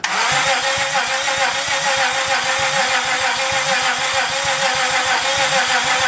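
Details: 2004 Honda Pilot, start after engine and transmission swap, after reconnecting the main relay: engine catches and settles into a steady, loud run with an even beat and a light whir on top; sounds healthy.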